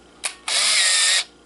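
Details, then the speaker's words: Kodak KC30 35mm camera, first shot after loading a roll: short click then a steady high whir under a second that sounded different; normal motorized advance. "ya se escuchó diferente y ya no lo dejó en posición supuestamente para ya comenzar a tomar fotos bien"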